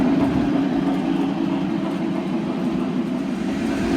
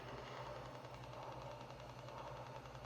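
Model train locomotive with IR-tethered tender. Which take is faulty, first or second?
second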